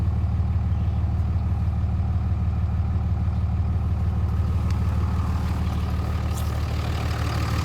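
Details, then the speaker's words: 2004 Ram 3500 with the 305hp/555tq common-rail Cummins diesel at 257,000 miles, idling cold: deep, steady, even low rumble with no knocks or ticks, exhaust sounds good; healthy engine. "So it sounds really good to me. The exhaust sounds good. The engine doesn't make any bad noises or anything."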